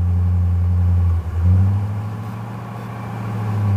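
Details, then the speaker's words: Copart hot rod with a Mopar aftermarket air intake, listed run and drive, likely sat a while: deep, throaty V8 burble that swells and settles through a quick blip, steady firing with no knocks or misses. Normal exhaust note. "wow wow that is something guess it's been sitting for a while"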